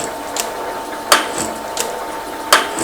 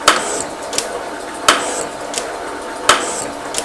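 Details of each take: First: Metal shaper with a large brazed carbide tool reaching the rail's hard outer skin and throwing blue chips. A sharp cutting clack about every 1.5 seconds on each stroke; heavy cutting noise on hard material. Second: Metal shaper at 42 strokes per minute with a large brazed carbide tool, replacing a failed M35 bit, machining a rail. A steady clack about every 1.4 seconds with a lighter return tick and no chatter; normal cutting.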